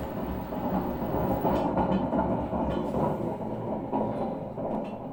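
Continuous rough rumbling grind with a clattery, train-like rhythm while the drum turns, pointing to badly worn drum bearings.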